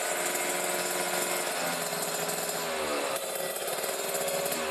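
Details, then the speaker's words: Kawasaki Ninja RR two-stroke, Mikuni 28 carburetor, revved to 3000–4000 rpm: heavy, muffled sound rather than crisp, a rich mixture setting. "berat banget Oke jadi settingan basahi tubuh kayak gitu ya Brebes bawahnya"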